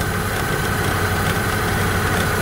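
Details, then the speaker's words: Opel Astra G idling with AC and blower at max for electrical load; an old, weak multi-rib belt tensioner fails to tension the belt, which flutters and gives buzzy metallic rattling vibrations. "Il y a un tendeur qui y travaille, qui est déjà vieux et ne serre pas suffisamment la ceinture multi-striée Et quand ça tremble tellement, tu peut entendre de tels sons métalliques avec un tendeur qui fonctionne"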